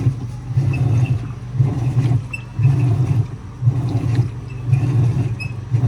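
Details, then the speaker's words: 2011 Whirlpool Cabrio Platinum top-load washer (WTW8200YW0) agitating a large load of towels before its bearings were replaced: a deep rumbling growl swells and fades about once a second with each stroke; worn tub bearings, though it still moves the load. "That clip for this was a much larger load of towels, but you could still hear it. The bearings were bad, but it was still moving stuff around."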